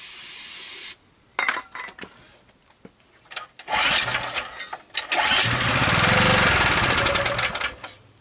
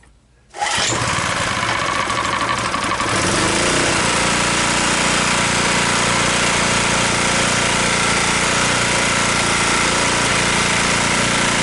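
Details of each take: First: Abandoned 2 kW generator with full oil, running on starting fluid: several pulls give short coughs, then it catches and roars briefly before dying. Suspected not pulling fuel; carburetor fuel supply to be checked. Engine runs briefly then dies. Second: Abandoned 2 kW generator, cold start with choke on after no-start diagnostics; starts first pull after brief sputter, then steady even drone with no misses; running normally.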